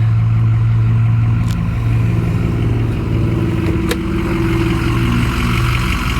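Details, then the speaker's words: 2006 Ford F-350 6.0L V8 Powerstroke diesel, automatic 4x4, 216k miles, EGR deleted, factory head bolts, cold air intake; fires right up, steady deep even idle rumble with no knocks or misses; normal diesel idle. "Fires right up, runs and drives as it should."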